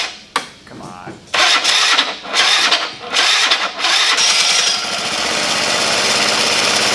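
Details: Honda Elite 80 (CH80) scooter, 11,000+ miles, engine rebuilt after catastrophic failure, first start totally cold at 32°F: a few sputtering tries, then the single catches and settles into a steady, even fast idle with no knocking; normal cold start.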